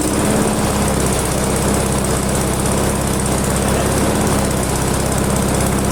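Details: Ginge Classic lawn mower with Loncin single-cylinder engine, carburetor adjustment screw almost all the way out, being adjusted while running: steady, slightly uneven beat with a rough edge; rough running, owner suspects carburetor adjustment issue.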